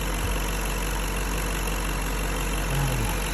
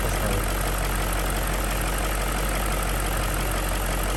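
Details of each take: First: BMW M62B35 V8, fully warmed up, at idle after the same VANOS units were reinstalled with corrected timing. Smooth steady low idle with no shake, stumble or ticking. Normal idle; knock gone. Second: BMW M62B35 V8 at idle after VANOS units were refurbished but installed incorrectly, before reinstallation and timing correction. Steady idle with a faint, fast light knocking over the low rumble. VANOS knock.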